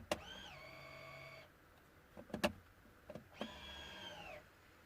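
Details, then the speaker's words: 2010 Range Rover Vogue Overfinch electric parking brake after parking brake module repair: two short motor whirs with brief pitch sweep then steady hum, clean stops as it engages and releases; no trouble codes, working normally. "It's working absolutely perfect, no codes."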